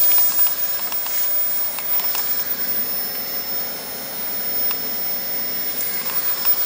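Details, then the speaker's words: Old desktop PC, CD and floppy drives unplugged, much quieter; thin steady high whistle over soft fan hiss, suspected from a dying component in the power supply, which may explain no-boot and non-working graphics card; high-pitched whistle. "une couille avec l'alimentation vu qu'il y a un problème avec l'alimentation ou c'est l'alimentation qui comme ça donc a un composant dans entation qui est mort enfin qui est en train de crever"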